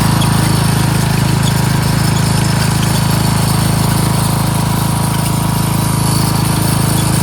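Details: Free curbside Craftsman 13.5HP 30-inch rear-engine riding mower under mowing load: a steady single-cylinder thump at constant speed, even and unbroken. It runs, starts, drives and mows normally.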